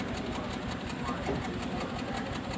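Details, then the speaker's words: 2015 Hyundai Creta petrol idling, heard at the silencer/exhaust: rough, uneven chuffing from an engine misfire. The check engine light is blinking, with DTC P0303 (cylinder 3 misfire). "यहां पे silencer है इसका और यहां पर firing देखेंगे ना तो यहां से कंफर्म हो जाता है की यह इंजन भी मिसफायर हो रहा है"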